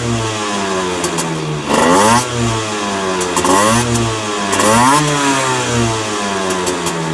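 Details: Honda NSR50 two-stroke revving up and down with a faint irregular knock under the revs; owner suspects crank big end or balancer bearing, noise persisted after checking and reassembling other suspect parts. Cause not confirmed.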